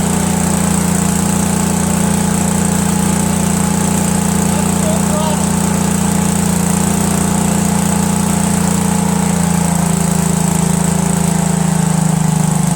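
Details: Cub Cadet tractor with a 13 hp Kohler Command CH13 twin, after a new mechanical fuel pump and replacing two stacked carburetor gaskets that caused an air leak: steady even drone, no surging or misses; normal running.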